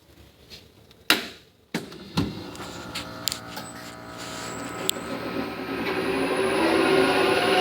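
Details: Atlas Copco GX11ff compressor: a few clanks at start-up, then a thin high-pitched whistle and rising rush while running; source of the squeal unknown.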